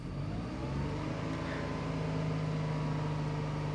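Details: Tata Altroz three-cylinder naturally aspirated petrol engine: smooth steady low drone while revving lightly, no knocks or rattles; normal, healthy engine.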